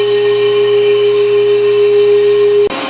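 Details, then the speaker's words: Brake lathe turning a rear drum from a 1989 Jeep Wrangler: a loud, steady, high ringing "singing" tone through the cut, then an abrupt stop. The cutter chatters because the drum is right at its wear limit. "you see little bit of cross-check in here that was when you could hear it singing that was right here at that recent years right at the limit"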